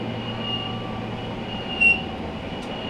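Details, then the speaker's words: Fisher & Paykel DE62T27GW electric dryer running: a thin, high, constant squeal over the drum rumble, sharper every second or so. A worn idler pulley bearing, fixed with a pulley bearing kit. "This is the noise the customer is complaining about."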